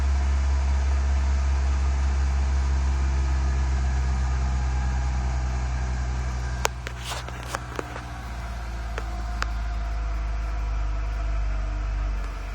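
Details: Engine idling after water pump, spark plug and ignition wire replacement: steady low drone with a slightly uneven beat, a misfire and a faint hiss; owner suspects a vacuum leak, not confirmed.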